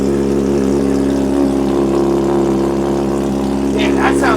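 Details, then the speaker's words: Wrecked 2024 Honda CBR600RR under rebuild, first start after repairs: steady, even engine drone with constant pitch and no knocks or misses; runs cleanly. "that sounds good, man."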